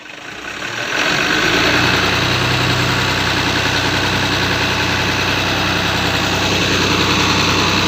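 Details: Excavator diesel that was hard to start and needed priming with gasoline, now running after cleaning work: it catches and settles into a loud, steady idle with an even low throb and no misses or knocking.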